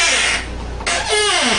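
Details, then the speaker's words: Hampton Lazy Susan corner base kitchen cabinet turning before the fix: a hissy scrape gives way to a wavering squeak sliding down in pitch; lubricated with graphite, lithium grease spray recommended instead, squeak improved. "okay here we have a squeaky lazy susan"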